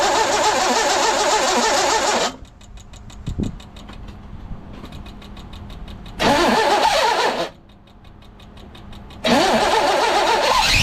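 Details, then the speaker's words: 1982 GMC S-15 pickup with Rochester 210 dual-jet carb: rapid rattling chatter and harsh grind through each crank attempt. The starter is loose, held by only one bolt, and not meshing cleanly. The owner plans to shim it and thinks the battery may be dead. "Starter is the next problem. I don't see it. I gotta climb under there and shim that starter. It sounds terrible."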